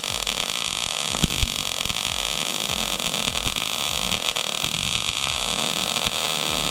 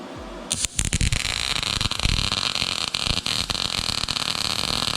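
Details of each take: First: YESWELDER MIG-205DS on 1/8" plate, .030 wire, argon/CO2, 78 amps, inductance +5 going to 10: steady, even frying hiss, no popping or spatter for ten seconds, then stops. Smooth MIG arc. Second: YESWELDER MIG-205DS MIG welding with .030 wire and Argon/CO2 on 1/8" plate, inductance raised and voltage adjusted: harsh, uneven crackle with irregular pops. The bead lays flatter but sounds unclean, an erratic arc.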